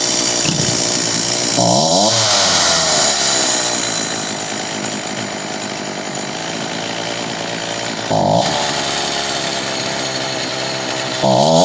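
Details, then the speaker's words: Homelite 3514C chainsaw during carburetor adjustment, after raising the idle screw a full turn: two-stroke whines up on each blip, hangs high and sags slowly back down; idle set too high. "I ended up having to go because the idle brought it up too much, and it still was. It would rev high and then slowly come back down."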